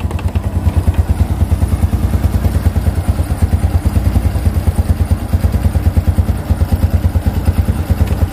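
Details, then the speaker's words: Honda Revo Absolute motorcycle after replacing the worn cam timing chain that caused rough, rattling tek-tek noise: firm, even single-cylinder beat with no ticking or chain rattle; engine runs smoothly and healthy. "Saya jamin ini sudah halus karena gantian sudah diganti ya penyakitnya sudah ketemu dan sudah diganti"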